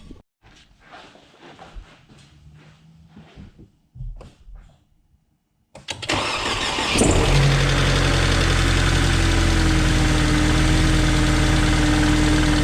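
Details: 2005 Mercedes C230 Kompressor, started after replacing all four spark plugs and ignition coils for a P0301 cylinder 1 misfire code: brief crank, then catches and settles into a smooth even idle with no stumble.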